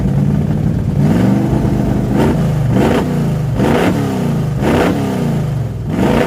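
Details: Craftsman LT 2000-style hot rod race mower V-twin with lumpy, uneven beat through repeated throttle blips; rhythm stumbles as if one cylinder drops out, rough-running misfire, cause not confirmed.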